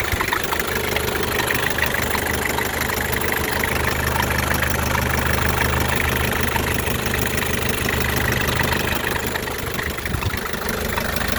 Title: What is this sound from 1984 Isuzu P'up diesel?